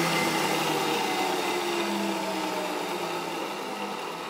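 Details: 2HP DC treadmill motor (up to about 5000 rpm) on a Bridgeport mill replacing the dead 1HP J-head motor, running unloaded with the cooling fan venting hot air. Smooth, even whirring hum easing down gradually, no rattles or grinding, healthy.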